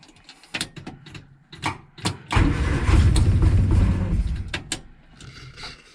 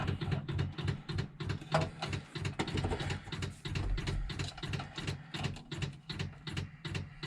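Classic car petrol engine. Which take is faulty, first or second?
first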